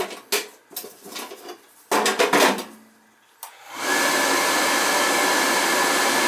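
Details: Riello oil burner during annual service, burner head cleaned and nozzle replaced about nine months earlier, thermostats jumped: a few clicks and a short motor spin, then the flame lights smoothly into a steady, even roar; clean, normal start.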